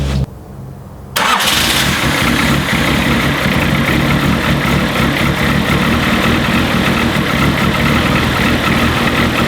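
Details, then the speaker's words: Turbo D15/Y8 Honda CRX just after a Delta 272-2 cam swap with valve lash set, on the third start attempt: cranks, fires and holds an uneven, lumpy idle; cam timing incorrect, later reset to top dead center. "I would not call that a completely healthy sound yet. We'll get there."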